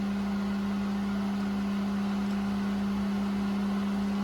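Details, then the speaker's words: Well pump after replacing the 40/60 psi pressure switch: steady, even low hum with no surging or rattles as the pressure gauge rises toward 60 psi; running normally with points closed. "The points are closed on the back, so it should be running. I hear it, yep."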